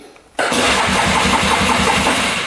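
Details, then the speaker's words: 2002 Polaris Scrambler 400 4x4 ATV stored in a barn, last driven five years ago: strong even cranking about five turns a second, never fires; later spark found, compression under 120, pilot jet heavily clogged. "let turn over pretty good all right does not fire"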